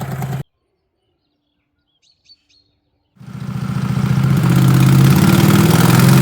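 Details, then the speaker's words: 20 HP Tecumseh twin-cylinder racing mower engine with dual 34mm PVK carbs, needle at middle position three, warmed up: fires and settles into a steady, even idle with no misses. Runs smooth at 1,700 RPM. "So I wrote now in the idling test. It runs smooth at 1,700 RPM."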